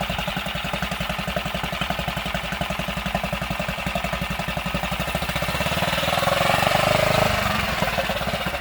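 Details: Tohatsu 6 hp outboard after carburetor cleaning (wouldn't start after six months' storage), water on, choked: runs steadily at about 220 firing pulses a minute, even and unbroken, rising slightly then settling; normal running.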